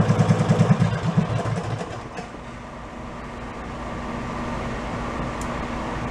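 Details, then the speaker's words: Amusement-park go-kart after a 5hp engine was swapped for a 16hp. Idle is set too low: a slow, lumpy single with a light rhythmic clack about three beats a second as the compression release engages. Fix is raising idle rpm. "down so low, the decompression valve is kicking in. I can actually hear it clacking. You gotta go up a little with the RPMs."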